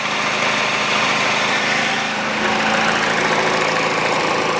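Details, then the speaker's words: Peugeot 408 2012, 1.6 petrol, automatic, 87,000 km: after replacing the stretched drive belt (DAYCO 6PK900), a steady, smooth idle with no knock or belt slap, and the tensioner no longer shaking as it did before. "и натяжитель его не колбасит как его колбасило"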